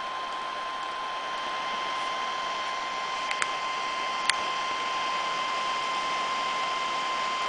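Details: Medion MIM2300 laptop: constant loud rushing air with a thin steady whine, fan running hard like a vacuum cleaner; cause unclear.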